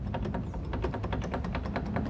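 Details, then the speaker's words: Fiat Cronos door panel: quick light tapping rattle, about six or seven taps a second, worse over bumpy roads; cause found to be loose screws inside the door. "esse barulho aí chato adivinha o que é galera já achei aqui ó está solto ó tá vendo aí"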